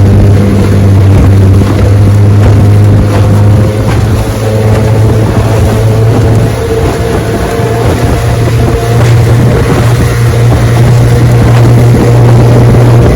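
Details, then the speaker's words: Restored 1971 Evinrude 9.5 HP 9122R outboard under way on lake test run at about 17 mph: steady two-stroke buzz holding one pitch over wind and water, no misses, surging or knocking; normal running. "She's a beauty and she runs great, I'm telling you. 17 miles an hour, easy, starts right up, idles perfect."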